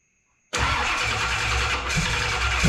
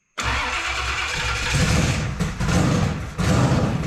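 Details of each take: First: Holley Dominator EFI car restarted after washers were added under the screws so the throttle blade is no longer held open: fires at once then drops into a slow, lumpy, barely-holding super low idle, as expected; TPS auto-set to follow. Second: Drag street car with a newly wired Holley Dominator EFI, first start after settings changes (expected to run rich), TPS auto-set done: brief cranking, then a strong, steady lumpy idle with no misses; normal start and idle.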